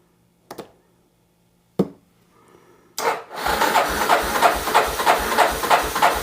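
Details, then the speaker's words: 1988 Yamaha Terrapro ATV on a jump box showing 12 volts: after clicks the engine cranks slowly, laboring about three strokes a second without catching; owner suspects a failing starter, possibly partly the jump box. "I think what we're going to do guys that starter I think it's not tur it over fast enough first of all could be partly our jump back"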